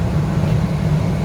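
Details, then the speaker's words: L.B. White heater after replacing corroded switch terminals: the hot surface igniter lights, the fan ramps up and the gas valve opens, giving a steady, even low roar with no sputter; the flame is stable and the flame sensor works. "There we go, we got a flame. And it should run those flame sensor that's right here."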